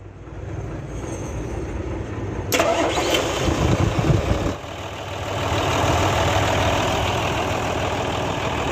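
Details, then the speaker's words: Hino truck with J08C diesel engine, started after cleaning and refitting following oil contamination that damaged crankshaft bearings: a brief crank, then an even, steady diesel clatter at idle with no knocks, a normal start and idle. "माशाल्लाह clear हो चुका है।"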